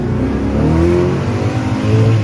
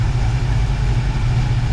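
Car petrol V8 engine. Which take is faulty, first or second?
first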